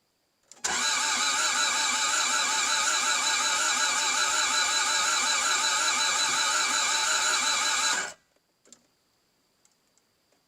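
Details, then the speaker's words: Toyota MR2 AW11 first start attempt with a new fuel pump run via the test method: starter cranks evenly for about seven seconds without catching, with fuel seen dripping; crank no start, cause unconfirmed, timing belt to be checked next. "all right let's see if we've got fuel sprang out anywhere first but if I'm being honest it sounds like it's probably not going to start"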